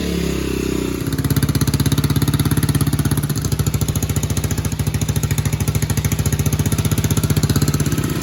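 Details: 2007 Baja Dirt Runner 125cc four-stroke Chinese dirt bike after repair: single picks up and holds a crisp, even thump at steady idle, with compression and no knocking or rattle now; owner hopes the top end is fine.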